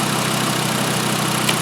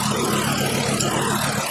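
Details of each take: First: 2012 VW Jetta 2.5L five-cylinder at idle after all five worn, wide-gapped spark plugs were replaced. A smooth, even, low hum with no skips means the misfire is cured and the engine runs normally. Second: 2012 VW Jetta 2.5L five-cylinder with a constant misfire at idle and under load. Unplugging one coil connector changes nothing, marking the dead cylinder; the rough, skipping idle was later traced to a worn spark plug.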